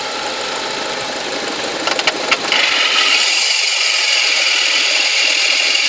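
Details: BMW 1 Series five-door manual, revving: a rattly engine note gives way to a loud, steady high-pitched rushing noise from under the hood. The noise is intermittent, and the owner suspects one under-hood part.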